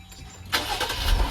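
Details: 2019 Jeep Cherokee at about 50,000 miles, after main and auxiliary battery replacement: brief crank, then the engine catches at once and settles into a smooth, even idle; a healthy start.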